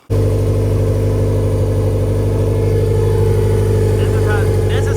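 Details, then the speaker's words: Turbo B18 VTEC (LS-VTEC) Honda Civic EK hatchback idling after tensioner work, run without power steering belt: steady, even low idle with no knocks or stumbles. "it should be spinning on idle. Give her a quick rev and see what happens."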